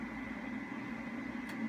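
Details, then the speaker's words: SolaHD S4K2U-C UPS plugged into a 120 V supply, not yet switched on and with no load. Its cooling fan starts with a steady low hum and a faint even whine, no rubbing or ticking. Normal operation. "notice once you uh connect the input uh uh Supply you'll hear the fan turn on all right"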